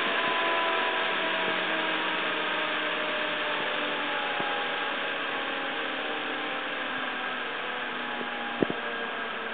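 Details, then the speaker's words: 6-inch 12 V fan (rated 1.8 A, drawing less) on a bench supply, voltage lowered from 12 V through 8 V to 4 V, stopping near 3 V: steady whir with tones sliding lower; normal running, speed falling with voltage. "Okay, so back down to eight and 4 vol still running. And if we cut out there we go three."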